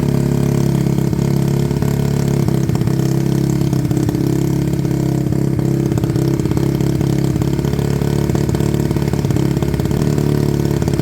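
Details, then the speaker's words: Suzuki Bandit motorcycle with blue flame Duro exhaust, abandoned bike being restored after sitting: cold idle, even rapid throaty beat, no misses or knocks; sounds beefy and healthy but needs to warm up, a little black smoke when revved. "it sounds beefy because of that exhaust but um let's give it a couple of it sounds healthy enough but uh it does need to warm"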